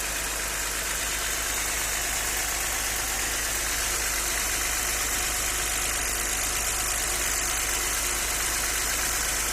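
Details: Audi 100 C4 2.6 at idle: steady idle with a fast, uneven tapping over the engine note, roughly three per second; owner asks what is knocking, cause unknown.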